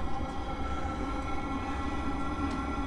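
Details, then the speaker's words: Webasto Thermo Top C fuel burning heater on a 2004 Freelander 1 TD4, about 2.5 minutes after a repaired start: steady, even combustion roar with the fan building up, little smoke, no popping; burning cleanly. "is 2 minutes 30 fan speeds now building up quite a lot obviously a lot combustion going on not so much smoke which is nice"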